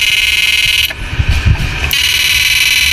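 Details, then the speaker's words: Susan 735 first-gen siren after repair (resistor glued, 500k fitted, flip-flop disabled): loud, steady high-pitched tone cutting out briefly and returning strong; working properly. "Yan, ang lakas. Yan, maandar na siya. Yan, bali goods na to."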